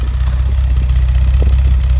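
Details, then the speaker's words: 1971 Mercedes-Benz 280SL, pre-purchase inspection, recorded at the exhaust tailpipe outside: deep, even idle with steady low rumble, no missed beats or pops, no visible smoke; healthy idle, no misfire. "Don't hear any misfiring coming from the exhaust."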